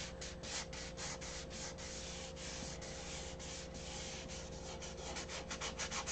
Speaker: If you listen right here, you can hear it with the paper towel. That means I didn't get it sanded up there.